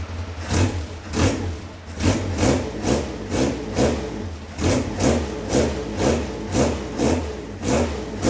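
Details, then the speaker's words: 27-year-old Caterham Super Seven 1600GT Sprint, carbureted, radiator fan on, silencer insert removed from the original muffler whose wool is burnt: raw, very loud exhaust bark with sharp throttle blips over a lumpy idle. "少しだけサイレンサーを外して音を聞いてみましょうか凄くうるさいのですがとてもいい音がしますよ"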